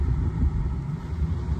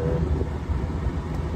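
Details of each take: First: Heavy, steady low rumble at idle right after starting with the AC already blowing; no clear knock, source of the noise unknown and owner thinks it is nothing serious. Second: Old V8 cranked up after a switch was connected and the belt refitted, AC blowing: steady low rumble, even unbroken beat, no knocks or misses; normal running, as it's supposed to be.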